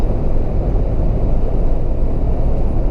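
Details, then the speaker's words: Mahindra Thar petrol automatic driven at 80 to 100 km/h after dealer fix of whistle in cabin: steady low road and engine rumble, no thin whistle over it; cabin quiet and even. "i can very well say that i am not able to hear that whistling sound now"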